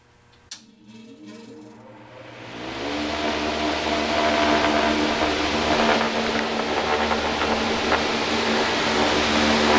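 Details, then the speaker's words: New heat pump fan motor run unenclosed with a good capacitor: comes up to speed within about two seconds, even whoosh of blade air plus propeller noise, no rumble or growl; slight noise likely from the support bracket. Normal startup. "as I said it started up and it it started up fairly smooth there just a little bit of noise which I think is probably just the the support B bracket holding it on"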